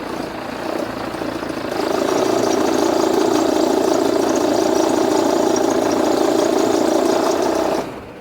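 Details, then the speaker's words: Jeep Renegade at idle, previously serviced at another shop: loud steady droning whir over the idle, rising as engine settles, then cutting off; very strong noise traced to the accessory belt drive, belt to be removed for checking. "aí pessoal tá vendo o barulho é um barulho muito forte então o que que acontece a gente vai fazer a retirada da correia de acessório"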